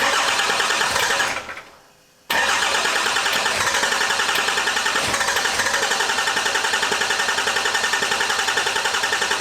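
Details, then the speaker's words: 2008 Ford F-450 Super Duty swapped from 6.4L Powerstroke to a 5.9L Cummins Turbo Diesel from a 2006 Dodge Ram 2500, first start attempts after the swap: long, even cranking at three to four beats a second after a brief pause, never catches; owner suspects fuel, though fuel pressure is present. "Could just be a fuel situation. Come on, baby."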